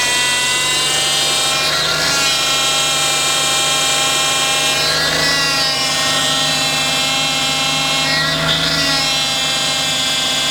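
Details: Toyota Altezza, engine running while steering wheel is turned: loud high whine swelling with each turn, heavy steering from low hydraulic pressure after fluid blew out on circuit; persists after refill and bleeding, internal vane pump judged damaged.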